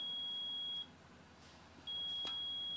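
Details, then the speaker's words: A steady high-pitched continuity beep sounds twice with a short gap as a meter is probed across AC compressor leads; continuity on all three leads means the compressor windings are good. "and you do this to all three leads so your windings inside are good"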